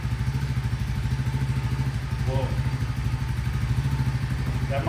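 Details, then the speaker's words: Second (green) CT70 clone, Nibbi carburetor re-jetted, idle mixture screw two turns open, cold start on choke, battery almost dead: uneven sputter and slightly lazy throttle blips; owner thinks it's running a little rich. "I mean, it's cold, but it has a little bit of throttle response. I kind of like that. That means it's a little rich, but Let's let it warm up and see what it does."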